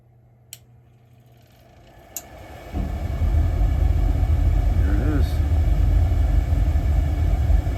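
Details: Old Burnham gas-fired boiler, just repaired and fired up: quiet hum, then the burner lights with a steady deep roar and even rumble, no puffing or rattles; about 76% efficiency and CO climbing, so the baffle needs adjusting. Normal burner operation.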